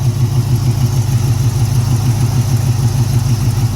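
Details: 1981 Oldsmobile Cutlass with 403 V8, first start in two years, fuel line found dry: low, lumpy idle with an uneven beat about three pulses a second, never quite smooth; possibly fuel-starved, not confirmed.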